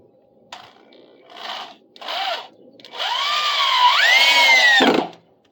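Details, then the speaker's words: Cordless drill driving a deck screw into a replacement deck section: two brief bursts then a steady whine climbing smoothly, with no chatter, showing the bit properly seated in the screw head. "Chatter's a bad sound. You hear the drill chattering like that, it means you're not in the head properly. Head of the screw. You need to be in the head of the screw to hold anything together. Make sure it's seated properly so it's not going to bounce."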